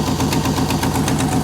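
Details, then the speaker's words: 1957 Chevy at idle after a roughly 4000-mile trip: sharp, quick ticking in time with the idle over a steady rumble; exhaust leak at the headers, every bolt on both headers found loose; new header gaskets planned. "you can hear that or not or hear me even but that's the problem every bolt on both headers were loose so yeah i'll get some new gaskets tomorrow"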